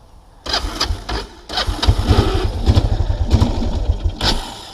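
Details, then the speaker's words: 1999 Kawasaki Prairie 300 ATV on muddy trail test ride after oil change: catches in ragged low bursts, sputters, never settles, bogging and stalling; owner thinks carburetor float stuck open running very rich, also suspects non-venting gas cap. "the carburetor i think the float is stuck open so it's running stupidly rich"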